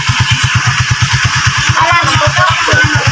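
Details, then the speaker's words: Euro 150 motorcycle that ran briefly then died (stator and spark plug already replaced); after fixing a worn ignition coil high-tension wire end with a short wire piece, it idles steadily with even, quick exhaust pulses, no stumbling or dying — normal idle. "so mga padreng good na daw yung kanyang motor at hindi na namatay so ang naging issue niya yung kanyang ignition coil yung high tension wire nag-in na yung dulo"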